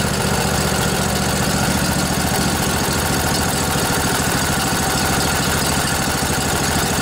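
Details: Revived junkyard Briggs & Stratton Intek OHV twin, 20–22 hp, model 40777, in a Husqvarna riding mower, with a new carburetor: steady, even idle with a constant low rumble and no misses, knocks or speed hunting; runs cleanly.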